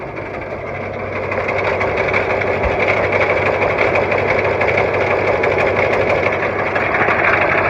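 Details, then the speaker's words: Cold International T444E diesel with Allison 545 transmission in a bus, idling; steady tapping knock about three times a second over the clatter; source not pinned down, owner thinks it may come from one spot but isn't sure. "bladder sounds like it's coming from right over here maybe but i don't know the engine is cold"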